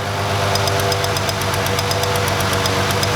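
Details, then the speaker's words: Ford Freestyle 3.0 V6 idling, cylinder 1 misfire: sharp rapid snapping ticks as the ignition coil, once slightly warmed up, arcs to ground internally, creating a trace that will keep worsening. "When you don't see it arcing, it's arcing inside the coil. So it's still finding that little path to ground."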